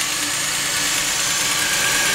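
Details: 2002 Chevy Venture 3.4 running after a no-start/no-injector-pulse fix with a new sensor connected: smooth, even idle with steady light ticking and no misses or stumbles; normal idle.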